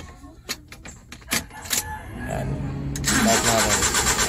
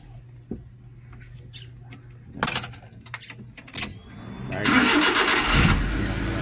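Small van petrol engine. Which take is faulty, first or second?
first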